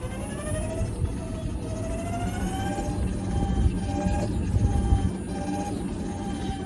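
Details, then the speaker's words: Evo electric golf cart, second cart, plastic cover on battery/controller: mid-pitched motor whine over road rumble that oscillates on and off with throttle on acceleration and deceleration; abnormal, not a normal whine. "All right, same color but different cart. I have the plastic cover on the battery or the controller right now, so it's going to be a little bit quieter, but it's the same issue, noise on deceleration, but this one also makes noise on acceleration too. Not a normal whine, you'll actually hear it oscillate on and off."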